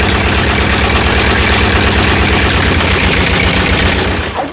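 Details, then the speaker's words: Ford 8N tractor four-cylinder idling with the fan belt removed so the fan doesn't spin: steady, even idle with a clean exhaust beat and the earlier extra noise gone, confirming that noise is a belt problem. "Test again, no belt this time, so the fan shouldn't be spinning, so hopefully we don't see that noise. Yeah, it sounds so much better without that."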